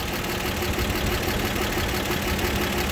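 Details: 1960 Grumman Olson Kurbside step van, warm after new hoses, belts and a tune-up, thermostat just opened: even, settled idle with a steady low beat and no misses or rattles.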